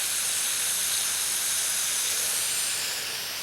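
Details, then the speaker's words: Drip irrigation line under bark near bushes: steady, high, airy hiss of pressurised water spraying from a broken line; possibly two leaks, one over here and one over there, before repair with a compression coupling. "right in here there's another leak and it almost sounds like I think there's one over there too I think I'm hearing two one over there and one over here"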